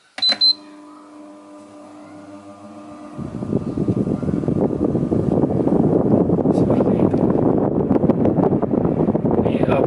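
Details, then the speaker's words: Household electric fan after repair of worn bearings (hard starting, not a capacitor fault): a few beeps, then fan spins up to a steady strong rush of air on speed one, no grinding or rattle; now noticeably stronger than before. "juga sudah kenceng ya. Gigi satu itu udah terasa apa, terasa anginnya. Kecepatan satu itu sudah terasa anginnya."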